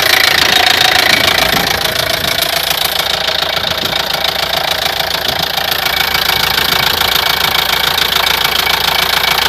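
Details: Opel Vivaro 1.9 diesel, F9Q engine: sharp regular knock about two per second over steady running, appeared suddenly at 1500 rpm, independent of engine temperature; timing belt already replaced; spun crank bearing.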